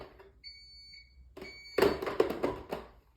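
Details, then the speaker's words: eSpring water purifier, plugged in with its top removed: a clear, high-pitched beep of about half a second, followed by handling clatter. It is warning that the top cover is off. "telling me, hey, you took out the top, Jose."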